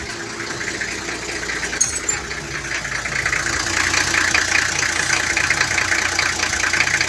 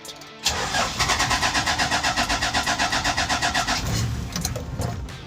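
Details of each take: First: 1994 Toyota Land Cruiser 1HZ diesel with a hard-start fault traced to the glow plug relay; after glow, it starts on half a crank into a steady, even diesel clatter with no misfire; normal idle. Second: 1994 Toyota Land Cruiser inline-six diesel, no glow plug indicator: long cranking at about four pulses a second before it finally catches and stumbles; hard start from a failed glow plug relay.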